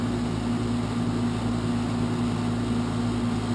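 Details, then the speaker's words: 12-year-old heat pump outdoor unit outside a bedroom window, before replacement with a new unit: loud on start-up, then a steady, loud droning hum with a constant low tone; loud running noise. "so that's the existing heat pump as you can hear it's 12 years old loud on fire up and Loud running as well"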